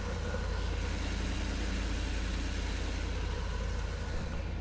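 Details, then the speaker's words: 2008 Ford E350 5.4 after fixing a no-crank, no-communication fault (blown fuse from a short, short temporarily cleared): starts and idles steadily, smooth low rumble, no misses or knocks. "Alright, so right now the car should start. And it does. It starts and runs."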